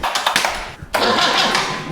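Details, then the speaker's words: Land Rover 2.25 diesel fitted in a Santana chassis, in neutral: starter spins briefly, pauses, then cranks again without catching; air trapped in the fuel system, injectors cracked to bleed it. "by golly. Crack them and see if there's And we're cracking the injectors. We'll try and bleed it out."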